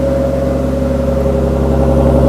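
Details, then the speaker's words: Cold start of a straight-piped exhaust (loud version, before the quieting trick): a deep, loud, steady unmuffled drone at idle with a heavy low rumble. Coolant was just topped up and slight belt squeal is possible. "so we'll actually see how it sounds it's actually gonna be yeah pretty much slowly cold start yeah it's pretty loud"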